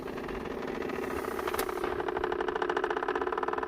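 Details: 2001 Jeep Grand Cherokee WJ with automatic temp control, vehicle completely off: quick even ticking from the HVAC box inside the dash; a blend door actuator is suspected to be clicking as it hunts, not confirmed.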